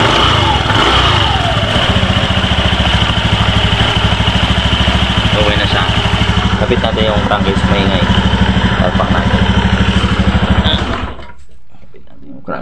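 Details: Honda Beat FI v2 scooter idling with a steady beat and rattly clatter from the CVT (belt) side, attributed to a loose, worn bushing in the CVT cover.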